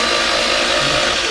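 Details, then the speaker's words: Fiat Strada 1600 16-valve pickup cranking: fast, even whirr with no compression beat, engine spinning too freely, cams not turning. Snapped cam belt, with suspected bent valves. "this vehicle has I suspect it has um sna the C belt okay because uh when you crank it to listen very carefully it is just sort"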